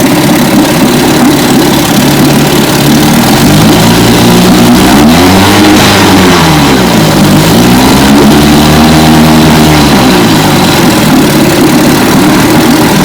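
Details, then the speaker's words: 1957 18 hp Johnson outboard (restore #106) in a barrel test run, loud even buzz rising and falling smoothly as the throttle is blipped twice; pulls cleanly and passed the barrel test: normal running. "so as you can tell she's a beauty once again uh destroyer 106. 1957 18 horsepower johnson passed the barrel test"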